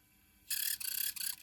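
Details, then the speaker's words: Sony PSP 3000 UMD disc drive gives rapid, irregular high-pitched squeaks as the disc spins up. Owner says it is not the disc, since a different game does the same, and is trying high-temperature grease. Cause is still unknown. "And it still makes that horrendous noise. How much more of that noise is it going to make?"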